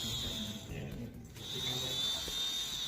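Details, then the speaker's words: ABS hydraulic pump motor tested by wiring its terminals directly to battery positive and negative: a steady, high-pitched electric buzz from the motor running smoothly, the hum of a healthy pump. "Jika dalam keadaan bagus maka akan terdengar suara seperti ini atau dengungan."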